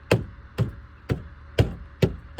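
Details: 15-year-old Maruti Suzuki A-Star at 40,000 km with a rattle heard inside the cabin. Six hollow, woody knocks about two per second, each dying quickly; a loose interior trim panel knocking.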